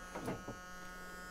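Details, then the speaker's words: Chevrolet C10 Silverado pickup parked 23 years, ignition switched on with a screwdriver after connecting power: faint, steady electrical buzz under a few light knocks, then stops; source unknown. Electrical buzz. "we got light Dome like thingies I don't know what that noise is well it's gone off"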